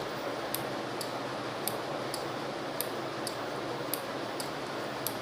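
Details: NE555 timer circuit with 12V relay and 2200uF capacitor, LED test: sharp light clicks roughly twice a second over faint hiss; relay switching steadily, timer working.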